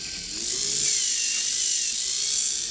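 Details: Lima class 50 model locomotive, received as a non-runner and now revived, runs on leads from a controller at medium speed while its wheels clean against a fibreglass pencil: a steady, smooth, high-pitched motor whine with no ticking or catching. Running normally again.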